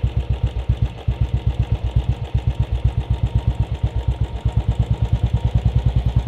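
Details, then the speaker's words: Royal Enfield Bullet 500 Standard (UCE 500, UCD33 carburettor), mixture screw being turned at idle: single-cylinder thumping at roughly two beats a second, idle speed rising, tuned until the sound stops rising. "kwise you willit he increase in sound when the sound becomes exactly at the point when the sound becomes constant you have to stop"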